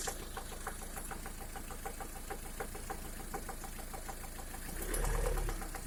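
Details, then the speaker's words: 2011 Lada Priora, after fitting gapless piston rings: once warmed to 60 °C and above, a steady light tapping about four per second rides on the warm idle. Source unclear; hydraulic lifter (compensator) suspected. "После замены поршневой на бесстыковую при прогреве до 60, от 60 градусов и выше начинается стук мотора. Непонятно откуда исходящий."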